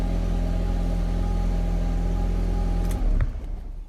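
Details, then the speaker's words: Audi TT Mk1 after fuel pump replacement, first start on first key turn: engine holds a steady, even low rumble for a few seconds with no stumbling or misfire, then shuts off; runs normally. "दो prime को शुरू करने का प्रयास किया गया है यह अब कुंजी का पहला मोड़ शुरू करता है जो शानदार है"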